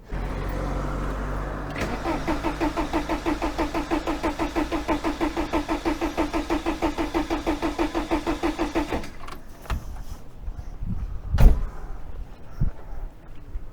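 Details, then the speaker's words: 1987 VW T3 camper with AHU TDI engine after fuel injection pump replacement and timing belt refit: steady starter churning, no firing, pump completely dry and not yet primed. Cranking, no start, unbled injection pump. "a bit more cranking needed there i think i'm getting a bit out of that one i think but we'll go a bit more obviously the pump is completely dry okay don't want to kill my starting motor either"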